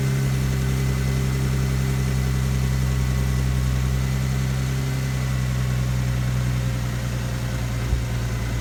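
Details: Infiniti G37S with rough start and rough idle, unchanged after new OEM spark plugs, coils and MAF; revs max out at 4,500 rpm in every gear: low, uneven, lumpy idle throb; owner suspects an intake manifold gasket vacuum leak.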